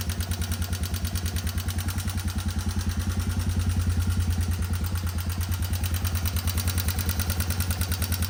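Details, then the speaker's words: 1989 Yamaha Moto4 200 ATV, revived after sitting 15–20 years, at idle: sharp, even ticking and light rattle from the top end over the thumping idle; valve adjustment planned as the likely fix. "so I didn't want to run it too long but as you can tell it does have a funny noise in that top end"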